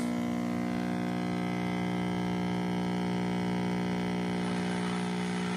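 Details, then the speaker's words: 1960s Heathkit GR-10 five-tube AM radio from an estate sale, first power-on without a dim bulb: loud steady transformer hum with a buzzy edge, 50C5 tube and neon lit; bad dual-section filter capacitors. The radio still receives. "I do hear a hum of a transformer. 50C5's lighting up. Got our little neon there. Bad filters."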